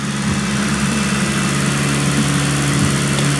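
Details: Car after axle and tie rod replacement, oils and system bleed, before test run: steady, even idle with constant low hum, no knocks or misses; healthy engine ticking over.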